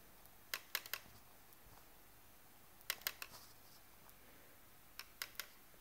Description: Edit: A canon service in my country just confirmed that this noise is normal with camera off. It is made by a certain type of lens that uses a linear motor.